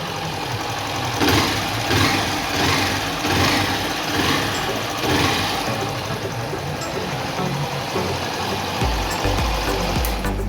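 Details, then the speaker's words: Honda Start 160 single-cylinder after repair of a connecting-rod-like knock (oil burning suspected): idles steadily with a light, quick valve tick, no deep knock, music in background; healthy. "o barulho aí como é que tá com acelera aí acabou aquela batedeira parecia até biela"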